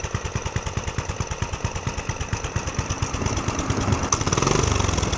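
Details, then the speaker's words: Homemade pit bike with a DIY turbo just fitted, muffler and airbox removed, started without choke after adding gas: small single-cylinder thumps, uneven at about three a second with lumpy pickup. Runs rough, cause unconfirmed. "It ran a little bit, so we'll see. Well, no, I don't think it's gonna work. So it runs."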